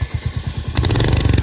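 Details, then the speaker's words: Royal Enfield Hunter 350: single thumps at idle, then a metallic tinny clatter on each exhaust pulse as revs rise; owner says the noise comes from the bend pipe, catalytic converter reportedly damaged, taken to the showroom under warranty. "ये देखो इसमें कुछ बजने की आवाज आती है जब यह चलती है"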